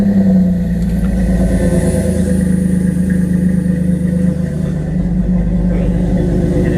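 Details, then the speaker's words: Truck with newly built turbo-style exhaust, downpipe flange bolted up without its gasket: loud, rough idle right after start with a raspy puffing edge over the low rumble; exhaust leaking at the unsealed flange. "there's no gasket in this there is no gasket on that flange because I forgot about it the gaskets laying right there on the floor"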